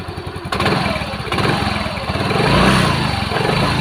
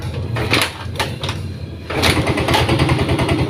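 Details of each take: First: Yamaha Mio M3 scooter after CVT repair, fan part replaced (previously rattling oddly at idle): steady, even, soft idle with no rattling or chattering from the belt drive; normal idle. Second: Yamaha Mio M3 scooter with a weak battery, at idle after start: rough, uneven clattering rattle, harshest at idle and when first opening the throttle; CVT rattle from a pulley slipping on a worn splined boss.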